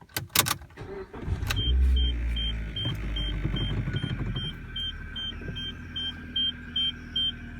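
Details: Suzuki SX4 manual, in cabin at start-up: idle with rough uneven chattering rattle from the serpentine belt area under repeating chime; owner suspects water pump bearing or bushing: belt-driven accessory bearing noise.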